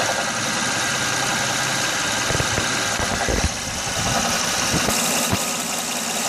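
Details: 2006 Honda Odyssey V6 at idle: dull, uneven knocks about every second over the steady run, persisting after new water pump, timing belt, tensioner, pulleys and power steering pump; knock source unknown.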